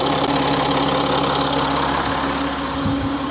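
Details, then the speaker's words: Citroën C6 on start-up: busy diesel clatter with a fast metallic rattle over the idle; timing chain noise, one reason for an oil change. "that timing chain noise is another reason why I'm changing the oil but I'll get on to that in the other video"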